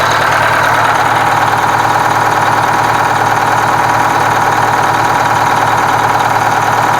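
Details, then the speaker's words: Kenworth cabover diesel, valve cover off after fuel pump and injector work: loud, even clatter with steady firing; the cylinder picks up once it gets fuel, and all cylinders run normally. "now i want to say i want to say you could hear that cylinder pick up when it right when it got fuel and so i want to say that it's good"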